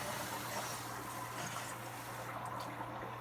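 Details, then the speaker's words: Water heater tank being refilled after draining brown water, cold supply reopened: steady, even hiss of water rushing into the tank with a low electrical hum underneath; normal refill flow. "push it up and there you hear the water rush back inside so I'm going to let this go for about 10 minutes"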